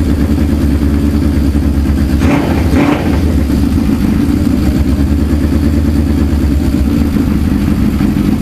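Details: Suzuki GS550 cafe racer, previously running on three cylinders with cylinder 3 dead, after carb strip and reassembly: even four-cylinder burble with a brief throttle blip, no missing beats; all pipes hot, all cylinders firing.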